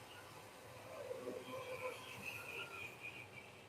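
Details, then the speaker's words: Lionel Crescent Limited model train locomotive running slowly to warm up: thin, wavering high squeal over the soft running rumble; badly worn motor bearing. "it has a bad bearing in it too I can hear it squealing just slow it down so it gets warmed up"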